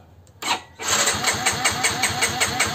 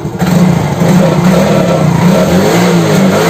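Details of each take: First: Yamaha X-Ride injection scooter (fuel pump not humming): the starter cranks steadily at about four pulses a second but the engine never catches; no signal or spark at the coil, so crank, no start. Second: Yamaha X-Ride fuel-injected scooter after repair (the turn signal was killing the engine). It revs and settles smoothly with no missing or stalling. Battery 13 V, charging 13.6 V. Running properly.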